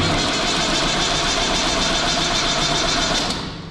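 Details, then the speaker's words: Universal tractor after a long cold crank, starting fine when warm: constant high whirring grind over the running engine, then dying away, as the starter pinion doesn't retract; owner suspects the solenoid rather than the gear. "sonra kaçıyor bu çek Benz çok soğukken çok zorlanıyor dinama dişi geri çekmiyor O zaman dişte değil sorun otomatikte olmalı"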